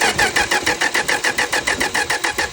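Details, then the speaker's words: 1962 Dodge Lancer after carburetor overhaul and points work, accelerator pump still barely squirting: brisk, even cranking with no drag or hesitation; throttle shaft leaks. Normal cranking. "thing sure sounds good when it's cranking now that's nice"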